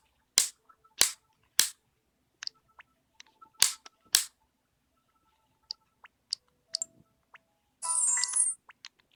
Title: Nintendo 3DS XL: Clicking Noise = Spinning Icon